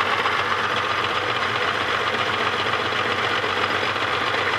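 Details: Holden VS Series 2 Ecotec engine, about 400,000 km, idling steadily: busy, uneven metallic rattle that seems to come from inside the engine; cause unclear.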